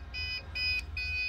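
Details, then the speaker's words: Desktop PC powering on with no video to the monitor: three even, high-pitched beeps in quick succession, each after a short gap, the memory-not-detected code; reseat or clean the RAM. "volvemos a encenderla y vemos que la falla permanece nuevamente se escucha ese ruido tenebroso"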